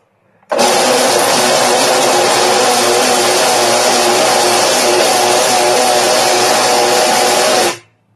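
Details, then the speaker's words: Tdp 1.5 press: loud, harsh, steady whirring clatter that starts and stops abruptly, with vibration felt through the machine and slow running; new since yesterday, cause not yet known. "so I don't know what that noise is because I've disconnected the belt and your motors quiet it's never done that before yesterday"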